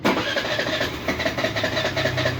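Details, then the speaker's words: Suzuki Burgman scooter cranks with a rapid uneven chatter and won't start unless the throttle is opened slightly; idle speed unstable on the diagnostic tool; idle speed control (ISC) problem needing calibration. "maliban lang kung bibigyan natin siya ng gas try natin bigyan ng gas na konti yun yun so saka lang siya nag-start ag nilagyan natin ng or p ginalaw natin Iyung throttle niya"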